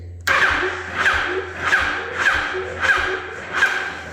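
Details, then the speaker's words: 2004–2006 Yamaha R1 motorcycle, hot after a long ride: slow uneven clicks and groans with no real cranking, sounding like a bad battery, while it starts fine cold; the starter motor is replaced. "It's gonna seem like this bike has a bad battery, and this is what it sounds like."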